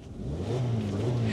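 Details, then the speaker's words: Used Vauxhall Zafira with oil in coolant, oil leaks and fan belt noise revving up; low, rough, blowy drone with chuffing as exhaust apparently blows from the mid section and holed rear back box. Exhaust leak. "from the exhaust mid section apparently and the exhaust back box has got holes in it"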